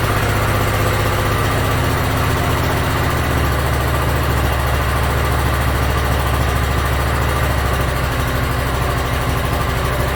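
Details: Yard Machines (MTD) 42-inch riding mower, small single-cylinder engine, after carburetor cleaning and freeing a stuck emergency shut-off: low, steady idle with an even beat, no misses or hunting; runs pretty good.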